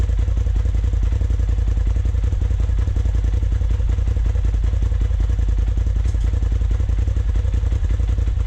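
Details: 2020 Polaris RZR Turbo S Velocity turbo engine after a Trinity Stage 5 slip-on exhaust install, idling with deep, even exhaust pulses and a strong low thump, no rattles or misfires; normal idle.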